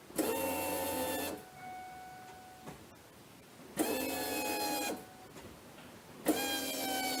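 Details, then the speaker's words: Ford Mustang after fuel filter replacement: three separate one-second electric whirs, one per key turn, as the fuel pump primes and fills the new filter; sound changes as the line fills; no leaks; normal priming. "yeah it sound like the pump was pumping and it was up the filter"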